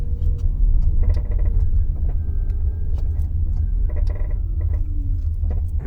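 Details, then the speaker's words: Tata Nexon EV decelerating in regen mode from about 20 km/h: bursts of rattly "khatar khatar" knocking from the front centre over road rumble, owner unsure whether motor or suspension; suspension bushing clunk on deceleration. "when the car goes in regen mode, I hear this khatar khatar noise from the front centre of the car."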